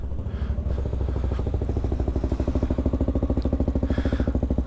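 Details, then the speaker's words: TBR7 single-cylinder bike with an aftermarket cam, idling after the idle control was adjusted during warm-up, with rpm expected to rise as it reaches temperature. Steady, evenly spaced thumping with no knock or miss. Normal idle. "And again, because you touched the, or because I touched the idle control here, the RPMs will raise as it warms up and comes up to temperature. So just expect that."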